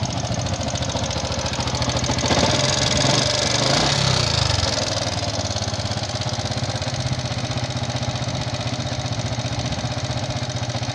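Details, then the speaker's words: Fuel-injected Yamaha Jupiter MX King single-cylinder idle with uneven ticking and rough rattle. The mechanic's analysis, not final, strongly suspects the upper engine, possibly loose valve clearance. "Karena ini hanya analisis, belum final, tetapi insya Allah, dugaan kuat suara berdetik dan berderak kasar itu berasal dari bagian atas mesin."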